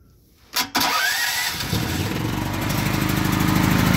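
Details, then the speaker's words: Predator 8750 generator in a ventilated plywood shed, over two years in service, choke set and full tank of gas, exhaust fan running: pull start catches and settles into a steady, even run, shed reducing noise; normal start. "This shed does a lot of help with the noise cancellation. I mean, it's not completely making it quiet, but it is helping reduce some of that noise."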